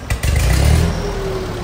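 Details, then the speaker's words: Old Ford tractor restarted after clutch linkage adjustment, clutch worn and PTO tested: engine catches with a couple of clunks, then steady even rumble with no knocks or misses; healthy "like a sewing machine". "Like a sewing machine."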